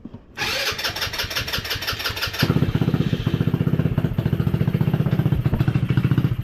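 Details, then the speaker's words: Killer Bee scooter stored over a year, started by arcing the starter solenoid: brief cranking then a small single settles into a steady, even popping idle with no misfires; starts and runs well. "Oh yeah, the Killer Bee is alive. I mean, I didn't doubt it would, but it's alive."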